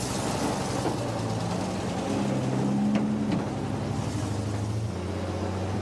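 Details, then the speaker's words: 1952 REO M-35 truck, REO 331 CI gasoline inline six, after cylinder head replacement: idles fast and slightly uneven because the carburetor needs adjustment; fuel pump also needs replacement or rebuild. "also you may notice that it doesn't sound right it seems to idle very fast both problems are due to the carburetor needing adjustment"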